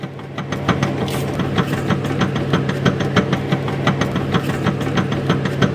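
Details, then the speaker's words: Worn CV joint (homocinética) clicking while the car moves forward, usually at full steering lock, sometimes louder with speed; sharp regular clicks about three per second over steady drivetrain hum; joint can lose grease and get damaged. "cuando el auto va avanzando usualmente suena cuando giras totalmente el volante y el auto avanza a veces también entre más rápido vaya se puede escuchar un zido como"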